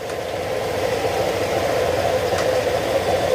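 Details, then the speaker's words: Honda Click 125 after engine overhaul, reinstalled in chassis, cold before warm-up: smooth even mid-pitched idle with no chirping or tapping; cricket-like noise and drunk-sounding running gone. "Pero ito, tahimik na. Hindi na siya tunog lasing."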